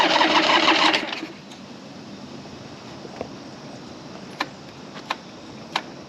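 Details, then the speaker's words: 1982 Yamaha XS650 Heritage Special stored 3 years, after the "Gonzo" DIY TCI mod: about a second of fast cranking with no firing, then a few clicks. The kill switch was off; it started once the switch was turned on. "Turn on the kill switch. Dumb. That would have started right away if I wasn't stupid."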